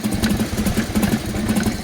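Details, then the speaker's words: Harley-Davidson Evo Softail at idle: lumpy V-twin idle with a loose metallic rattle on each firing pulse, like a metal ball rolling inside the engine. "sounds like there's a metal ball rolling around inside my engine that doesn't sound good"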